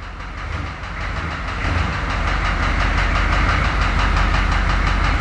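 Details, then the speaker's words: Engine with cracked pistons after 80,000 km, driving into garage: steady hollow rhythmic knocking about three beats a second under exhaust rumble; piston slap. "And this is pulling in the Rattlepuss with the crack pistons motor for the last time."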